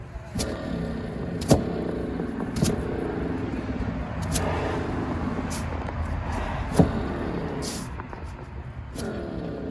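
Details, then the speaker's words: 2006 VW Jetta TDI 1.9 (BRM) manual, old removed wheel bearing turned by hand: rough, gritty rumble with scattered sharp clicks and resistance; loud grinding while driving, it was replaced with a used bearing. "you could definitely hear the grinding and there's some sort of resistance"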